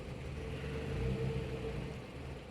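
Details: 2018 Mitsubishi Outlander with permanent P0113 intake air temperature sensor 1 circuit high code, intake temperature reading negative; low, uneven idle sagging and surging, running rough; technician suspects a ground or wiring issue, not confirmed.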